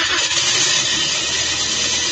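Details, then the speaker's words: 2023 Toyota Vios/Avanza 1NR engine that wouldn't keep running, now started after the spark plugs were refitted. It runs with a steady, busy, hissy note and smokes from oil in the cylinders, smoke expected to clear when warm. "Op. Yun. Umandar na. Ayun oh. Mag-uusok dito yan. Mag-uusok tapos yung usok na yan, mawawala yan pagka uminit na."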